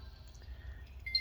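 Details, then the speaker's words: Game Boy Advance with new speaker, after the audio fault was fixed by cleaning a contact and what was between the contacts: silence, then a clean high two-tone power-on chime with no crackle or dropout; speaker output normal. "so all i did was i just cleaned that contact and then contact i just cleaned that what was in between and and it's working so there the audio is solved"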